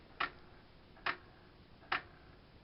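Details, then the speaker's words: Aiwa XR-H33MD mini hi-fi, tape deck stuck in play mode with no tape inserted: sharp, even clicks at about seventy a minute. The tape mechanism keeps clicking; perished, slipping belts are suspected. "yeah, the tape just clicks for a while, but as you can see, CD tray, which was sticking, now comes out perfectly."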